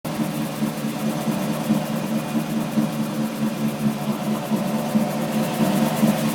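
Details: Loud steady low drone around 200 Hz while rolling, from diff/driveshaft/wheel hub area; tail shaft replaced, diff newly reconditioned, noise occurs with either wheel rolling; owner suspects diff pinion or carrier bearing.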